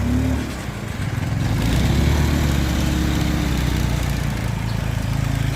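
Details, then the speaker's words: Honda Scoopy i scooter: engine stumbles and surges unevenly and dies when throttled instead of pulling cleanly; fuel starvation from a failed fuel-injection fuel pump. "ไปให้เลยโอ้อะไรเสียน้อปั๊มติ๊กหัวฉีดน้อเป็นยังไงอขึ้นไปเลยบิดแล้ววูบใช่มะเอออ่ะลองดูปั๊ติ๊กหัวฉีดตามสเต็ปตามสไตล์"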